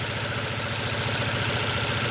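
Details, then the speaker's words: 2006 Ford Focus with hard starting, new spark plug cables and coil pack already fitted: rough, shaky idle with lumpy uneven beat; misfire, later traced to broken wire at coil pack connector. "Gusto kong ipaabot sa inyo na kung nakikita nyo dyan, nagsishaking yung makina."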